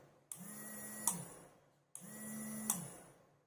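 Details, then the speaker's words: Homemade automatic liquid soap dispenser with IR sensor, relay module and green relay LED: hand placed at the sensor and the small pump gives two short whirs, each ending in a relay click, spinning up and running smoothly. "देखो दोस्तों, pump की आपको आवाज भी आ रही होगी, green light हमारी चालू हो रही है।"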